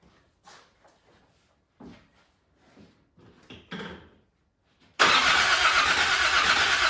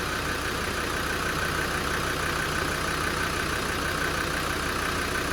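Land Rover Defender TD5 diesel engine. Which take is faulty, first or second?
first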